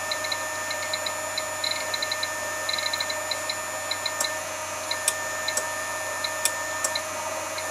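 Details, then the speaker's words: Keithley 150B microvolt ammeter on external supply around 6-7 volts: fine, even high buzz with light ticking at one steady rate; chopper runs normally, sounds heavier above 6 V, frequency unchanged between 6 and 7 V. "but it sounds heavier above six the chopper frequency doesn't change between Sixth and seven"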